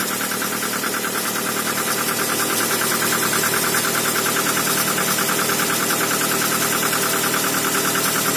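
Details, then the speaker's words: Toyota RAV4, cold engine after cleaning and regapping spark plugs to 1 mm and a temporary ignition-lead repair: steady, even idle with a fine regular tick, no stumbles or misfires; runs smoothly, normal idle. "ровненько работает вообще без перебоя не шелохнётся"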